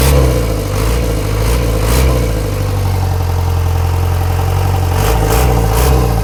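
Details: Isuzu ELF manual diesel truck that had been misfiring and bucking in 3rd/4th, after a fuel filter replacement and blowing out the fuel hose: starts and idles evenly with a deep steady beat and picks up cleanly on throttle blips.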